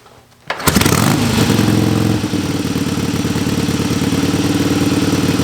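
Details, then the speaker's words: 1961 Harley-Davidson Sportster XLCH Ironhead barn find with knockoff S&S carb, fed by squirt bottle into carb: catches instantly, revs briefly, settles into even loping idle about four pulses a second; normal start and idle. "barn fine 1961 sportster it runs like a top it's like a dream it's perfect"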